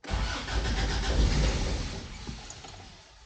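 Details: 1988 Toyota Pickup (Hilux), off the road nearly 5 years, new fuel line: engine cranks, catches a second on leftover starting fluid, then fades and dies. No start; owner concludes the fuel pump has failed.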